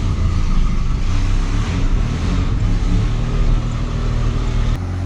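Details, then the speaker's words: Abandoned Australian Ford Falcon ute driving in gear, heard from inside the cab with the idle screw fully out: loud deep drone with a rough puffing edge from a bad exhaust leak. "Geez, you can even hear the exhaust leak in here, it's that bad. So you can hear it. It's fluffing."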